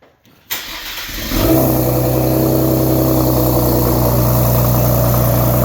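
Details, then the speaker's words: Ford Explorer with a new 2.5 Thermal exhaust on test pipes, just fired up: it cranks, catches and settles to a fast idle with a quick puffing tick about four times a second. Exhaust leaks at the downpipe end, where the flanges were cut off. "oh yeah there's a leak here so we're going to I'm going to have to put these other down pipes in cuz basically the end of the downpipe ends here"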